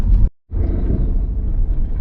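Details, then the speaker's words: Van driving after a Turkish garage fixed a worsening clunk with two new parts: even low road rumble over bumps, no knocks or clunks. Normal suspension, clunk-free. "seems like they'll have us fixed in an hour or two so happy days just crossed i'll listen to that folks a clunk free van"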